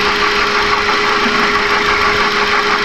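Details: 2011 Kia Forte idling, stethoscope on the water pump: "kek-kek" noise, a steady whirring hum with a thin constant tone not following any knock rhythm; worn water pump bearing.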